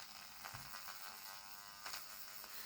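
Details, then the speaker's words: Heljan Class 17 model locomotive that stopped running in a puff of smoke, tested on track: thin high buzz and faint crackle, motor barely turning. Directional lighting works, burning smell; believed the usual Heljan motor blowout. "oh that doesn't sound good the lighting's working though so I think yeah the directional lighting is working it's just the motor just the usual Helen motor blowout"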